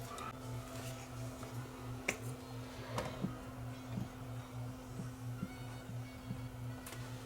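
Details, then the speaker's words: Mid-1970s Grundig TK747 reel-to-reel stuck at slow speed, after lubricating motor hubs and correcting motor wire: steady low motor hum with faint uneven light ticks, starting and running smoothly; normal running. "that's got that back in place let's see if it turns on ah much better sounds much better to start"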